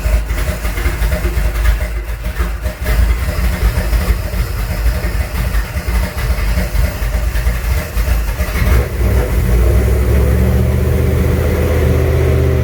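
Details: Junkyard 351W turbo V8 in a 1967 Mustang at first fire-up with new headers and wastegate, exhaust exiting by the fender; stumbles unevenly at first, then settles to a steadier higher drone; runs but needs a tune.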